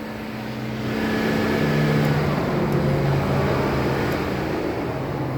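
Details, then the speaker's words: Dodge Journey with erratic coolant gauge and no codes: on manual test the radiator cooling fan whooshes up and runs steadily with light relay clicks; fan working at least somewhat. "and you can hear the relay clicking all right so we can it's safe to say that the fan is working somewhat"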